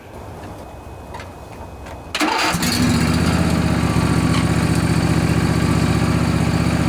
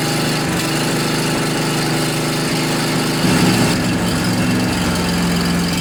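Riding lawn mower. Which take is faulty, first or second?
first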